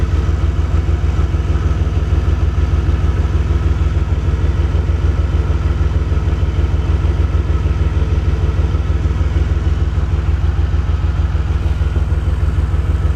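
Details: Warm DeLorean engine idling rough with a low, uneven beat of about three pulses a second that never settles, as a dwell meter is hooked up for a reading; cause unknown.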